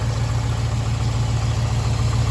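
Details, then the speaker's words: Old Chevy truck, first run in about six months, on the third start attempt: fires right up into a deep, steady, even idle rumble with no ticking or misses; normal idle. "on look at that go first time and like six months she runs just mint fired right up no Tekken"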